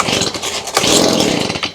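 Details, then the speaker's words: Stihl BG55 two-stroke leaf blower, bought used around 2020, air cover off; ragged, uneven buzz surging and fading without holding revs, then dying; owner suspects clogged carburetor, fuel not coming through primer bulb, before carb cleaning. "And then this one, it will run, but we'll see if it dies. Okay. So, yeah. Yep. That's exactly what it's doing."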